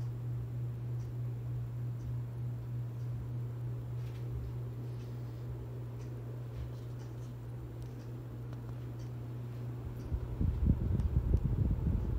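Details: 42-inch Harbor Breeze Ocracoke ceiling fan, installed around 2005, on high speed, top view: steady, quiet low hum with no ticking, rubbing or wobble beats; motor running smoothly.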